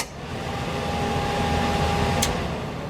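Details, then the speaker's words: 1967 Chevy C10 Stepside heater blower on high, motor behind the heater box on the far side of the firewall: steady, even whooshing roar with no rattle or grind; fan runs smoothly at full speed. "and then back and and then you can go down the gentle breeze that whole metal assembly here is the heater box and the blower motor that's running is right on the opposite side of the [Music] firewall"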